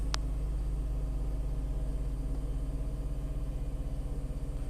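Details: Tata Altroz naturally aspirated petrol engine, delivered November 2020, about 12,138 km: low, steady, even idle hum with a smooth pulse about four per second, no knocks or ticks; healthy idle.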